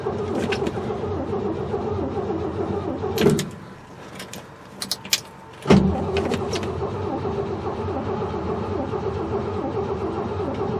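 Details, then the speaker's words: 1968 Chevy truck not run in 15 years: steady starter cranking with a brief pause and clicks, never fires; owner suspects no spark, coil wires/coil questioned. "yeah I don't think she's got spark well I was kind of hoping that this would go a little bit easier than this"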